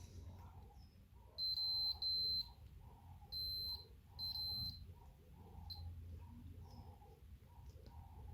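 Continuity tester gives short steady high beeps only in some presses, cutting out on others, so the switch contact is intermittent and faulty.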